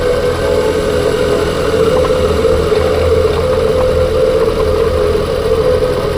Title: Kuga phev 2021 whining noise after new clutch damper/flywheel changed